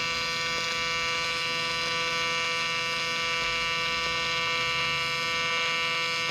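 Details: Miller Dynasty 300DX AC TIG welding aluminium during a beginner's practice session: steady, bright electrical buzz over a low hum with no pops or sputter, a normal stable AC TIG arc.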